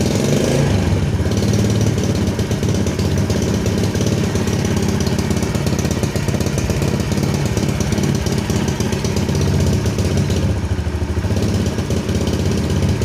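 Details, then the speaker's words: Yamaha Jupiter Z carbureted motorcycle starts easily but runs rough and stumbles as revs are raised with the throttle grip, also hard to start in the mornings; traced to a lean main jet and leaking carburetor diaphragm. "Starting it is easy, Bro, but when we try to increase our RPM for our GP hand, it can be a bit tricky"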